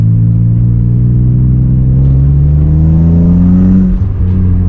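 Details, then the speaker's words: 1997 BMW M3 back from crank sensor and no-start troubles, driving on the road shifting through fourth toward fifth gear: the engine pulls smoothly and evenly with no misses; it feels like it has pull now. "Feels like it's got some pull to it now."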